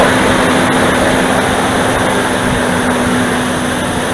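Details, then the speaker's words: Dodge Dakota V8 first cold start on a spring/autumn-like morning: loud steady whooshing roar over idle from the viscous fan clutch, drowning out speech, settling within a minute or two as it warms; viscous fan clutch roar on cold start. "방금 들으셨던 소리가 지금 냉간시에 시동을 걸었을 때 횡클러치 소음이에요. 순수하게 횡클러치 소음밖에 안 들립니다."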